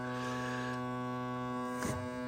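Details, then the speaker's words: Crosley BC654A vintage radio running: steady loud mains-pitch buzz with gritty edge and no rhythm change; mechanical noise, vibrator or a shorted wire touching the frame from the power connector suspected, not confirmed. "something's really loud here I think this is physical noise mechanical noise"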